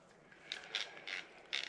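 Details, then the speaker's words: New Penn Spinfisher 440SSG spinning reel, hand-cranked: short gritty rasping grind each turn as the main gear flexes and wobbles in the housing, no bad bearings; planned fix is shimming the main gear. "so you can notice it when you're cranking it this way you heard that noise there's no bad bearings or anything inside it's just not as smooth so what i'm going to do is shim this side of the of the main gear"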